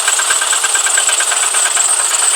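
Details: VW Golf 4 with a rebuilt engine (new pistons, bored 0.5 oversize) at cold idle: a fast, light regular diesel-like ticking knock that lasts until nearly fully warm, then disappears. Switching oil from 4W40 to 5W30 didn't help; cause unconfirmed.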